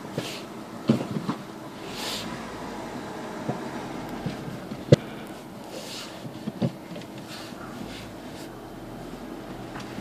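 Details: Renault Megane Mk2: low rolling rumble broken by a few sharp metallic clunks when braking while reversing.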